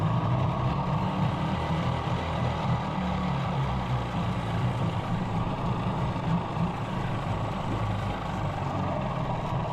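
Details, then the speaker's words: 15 hp Mariner outboard unused over two years, after carburettor clean, put in gear shortly after starting: low, uneven burble that stumbles and never settles; rough running in gear, owner suspects it needs more warming up. "So she doesn't like being in gear yet, but she probably just needs warming up more."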